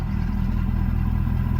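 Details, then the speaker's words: 2011 Ford Super Duty, 6R140 transmission, intermittent fault suspected from the transmission fluid temperature sensor: selecting reverse, the idle bogs down slightly as the truck tries to move, then releases in neutral, with no clunk or slip; normal reverse engagement. "Truck kind of bogs down a little bit, like it's trying to go in reverse. And then neutral, it releases."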